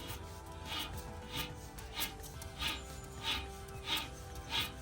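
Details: Alfa Romeo MiTo rear wheel bearing, noisy when driving over 20 mph; caliper and disc removed and hub turned by hand: regular gritty rasps, about one every 0.6 seconds, from the worn bearing before replacement.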